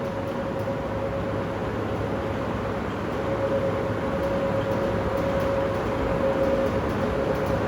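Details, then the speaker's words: Industrial fan, nearly 10 years old, running with a steady airy roar and a faint thin whine on top; blade not out of balance, motor bearings wearing out but not yet grinding; fan motor bearing wear. "So, compared to the Fujitsu Halcyon Inverter system, this industrial fan also has bearing wear and the bearings are going out in this fan,"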